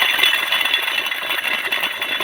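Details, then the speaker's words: Old salvaged brushcutter, clutch drum turned: dry, gritty rattling and grinding from the clutch drum bearing, which should be silent; bearing is worn out. "là normalement ça ne devrait pas faire de bruit donc c'est clair que le roulement il est hs"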